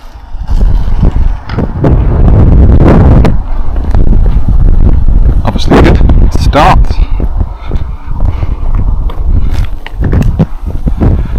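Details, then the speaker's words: Acme Condor Pro 1/10 nitro RC buggy, circa 2002–2005, unused for about 20 years, engine preheated: high, raspy two-stroke buzz rising and falling with throttle bursts, pulling cleanly; started quickly and runs strong and healthy. "back into the garage then and yeah that was a good run out for the Acme condo Pro started really quickly"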